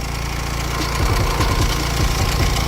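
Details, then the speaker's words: Honda Civic with battery light and heavy steering, alternator charging only 10–11 volts and likely failed; irregular light rattling taps over steady idle, intermittent, origin unclear, possibly near turbo or something broken or touching; engine-bay rattle. "Jeez man, it makes a racket! Or some broken, or some touching somewhere. It's not there all the time"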